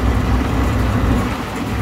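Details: Commercial vent hood exhaust fan with new 208/230 V three-phase belt-and-pulley motor, drawing about 3.5 A: steady, even low rumble spinning up to speed, no knocks, squeals or rubbing; normal running.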